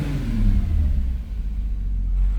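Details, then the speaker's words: MK2 Jetta coupe with swapped 3.2 VR6, warmed up a little, hood up, free revving: deep smooth rev climbing and falling evenly with loud intake roar, no misses or knocks; healthy engine. "My god, that thing sounds amazing. Sounds like it's uh pulling in a lot of air. It's super loud."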